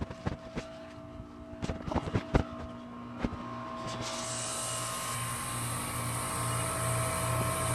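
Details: Outdoor unit of a heat pump (2008 Goodman or 2015 Lennox Merit Series) running in heat mode: low steady compressor hum, a fan rushing up over a few seconds, and a few early knocks. Normal operation, likely not defrost.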